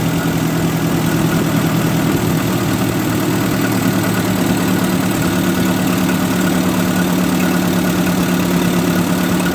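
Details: 1958 Oliver 550 gasoline tractor after parts swapping, timing and carburetor idle screw adjusted: steady, even low idle with smooth unbroken rumble, no misses or knocks; normal idle.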